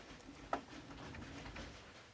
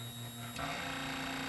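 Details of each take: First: Epson ET-2710 printer/scanner, lid removed, after flashing two red lights following a scan; possibly locked up during Wi-Fi activity: light ticks and whirs, then a short loud sweep as the scanner carriage homes, no grinding; normal reset cycle. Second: Epson ET-2710 scanner, lid off and controls reconnected, after two-red-light error: short electric whir changing pitch as the carriage runs, as if it hasn't detected it's back home; suspected homing sensor issue.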